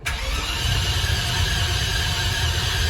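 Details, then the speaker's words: Land Rover Discovery 2 with the battery charged and cables tightened: the starter turns the engine over at an even pace for three seconds, but it never catches. Crank no start; spark was later confirmed at the plugs, cause not yet found. "It does crank."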